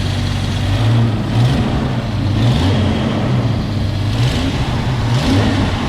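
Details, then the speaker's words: 1995 Jeep Cherokee XJ, first start in 6 months after storage and a starter replacement: catches quickly, settles to steady smooth idle with slight rev rises, no knocks or misfires; normal start and idle. "First start up in 6 months, cranked over right away. Couldn't be happier with that."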